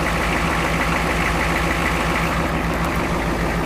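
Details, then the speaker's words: 1986 Ford F-250 diesel work truck, bought around 1998 with 110,000 miles, said to sound like a washing machine; steady loud even diesel idle clatter, no misses or uneven knocks: typical normal diesel clatter. "Well, you can hear it for yourself, you know, typical diesel. But if you're used to a nice smooth gas motor, you're not going to like that noise, you know."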